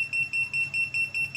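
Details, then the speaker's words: Hilda 12-line laser level: rapid even high-pitched beeps, about five per second, the tilt alarm sounding because the unit has not yet found level. "ini kalau alarm masih berbunyi kan ini kan belum mendapatkan kerataan"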